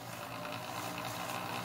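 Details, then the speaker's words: Belt sander on a Superior Electric PowerStat 116B variac (1.4 kVA, 10 A) at very low supply voltage: a steady low electrical buzz as the stalled motor tries but cannot overcome its own friction; it starts turning once the voltage is raised. "It's going to require a minimum voltage to really get the motor to overcome its own friction to build up a... Actually, I hear it buzzing. It's trying."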